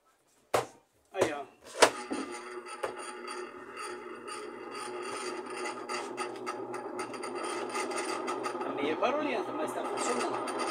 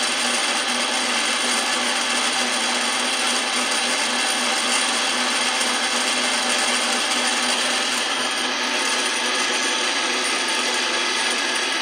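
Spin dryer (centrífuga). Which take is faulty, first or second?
first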